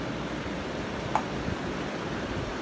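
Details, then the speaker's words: Pedestal fan after repair (disassembled and oiled because it spun slowly or barely at setting three): on speed three, soft steady rush of air, no ticking, scraping or wobble, oscillating side to side; spins freely and sounds healthy. "and it works fine but looks of things let's turn to three it goes faster it's rotating or oscillating side to side"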